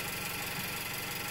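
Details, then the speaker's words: Steady, even car idle with quick regular firing pulses and no knocks, picked up by a cheap piezoelectric microphone mounted right on the engine block, hence very noisy; engine running normally. "plain as day you know here's our normally running engine it's really noisy because it's right on the block"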